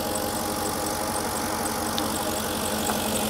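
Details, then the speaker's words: Porsche Cayenne Turbo, sold as engine-faulty, reported to misfire when cold: cold idle with a faint light ticking over a slightly uneven run. Mechanic considers it normal; two secondary air pumps and brake booster pump are heard starting. "Hát, jelen pillanatban is már lehet hallani ezt a kis kopogást. Picit egyenetlenül jár, én azt mondom, hogy ez még egy teljesen normális dolog."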